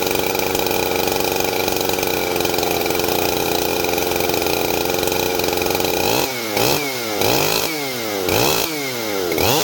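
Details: Husqvarna 371 XP two-stroke chainsaw after oiler repair, test run: steady high-rev scream then quick throttle blips rising and falling cleanly, no stumble or misfire; healthy.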